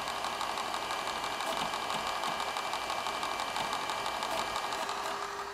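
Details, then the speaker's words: Sharp X68000 Ace HD after repair; floppy had spun with the head not moving. After reset, steady whirring hiss with light regular head-seek ticking, then a soft steady tone as Dragon Buster loads: normal disk drive loading. "and then what we're going to do is hit the reset button, and you should be able to hear the hard drive and the disk drive."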